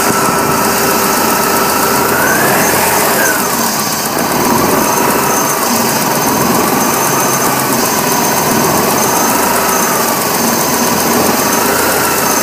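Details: 1998 BMW E46 318 with the 1.9 M43 engine: loud idle with a wavering, uneven note and a faint rising-and-falling knock. The rough idle comes and goes suddenly and worsened after alternator rework; the cause is unknown.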